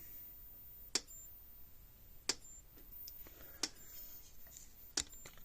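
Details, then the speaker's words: Premier 1 Hotshock 1000 fence charger after retrofitting a replacement board for the burned-up original: crisp dry clicks about every 1.3 seconds with indicator light flashing, pulsing steadily and healthily. "So we'll plug it in here. You hear it clicking along. You can see the little light down there flashing."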